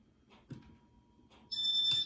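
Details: Casablanca Panama 5 Inteli-touch ceiling fan made April 1988, stepping up a speed: soft hum then one clear high-pitched beep about half a second; normal operation.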